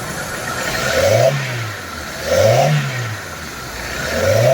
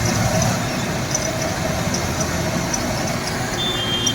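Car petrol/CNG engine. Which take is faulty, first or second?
second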